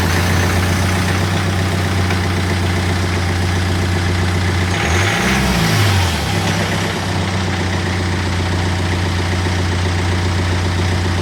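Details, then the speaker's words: BMW 120d diesel idling after clutch change, dual-mass flywheel replaced by a solid flywheel: steady idle with one quick blip around five seconds and a faint extra rattle from the solid flywheel; normal idle. "You can hear a bit extra noise when it's on flywheel. That's just a flywheel though, isn't it?"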